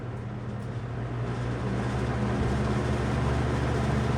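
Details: Toastmaster 20-inch faux wood cabinet box fan, later-generation with banana-style blades, on high speed: steady even whoosh with low hum, no rattles or ticking; runs cleanly.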